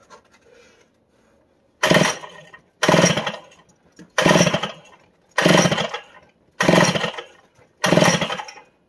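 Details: About 60-year-old, never-fired Power Bee 82002 high-speed cart engine: six quick pull-start rasps, roughly one a second, and it never catches, though it is getting fuel. Cause not confirmed; a grounding-wire mistake was found later. No-start on pull-start.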